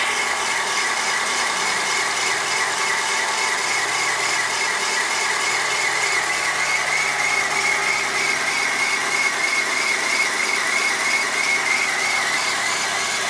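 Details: 1997 Corsa 1.0 MPFI at cold start: high, fast chirping scrape about three a second over a steady idle; the noise goes away once the engine warms up; source not yet found.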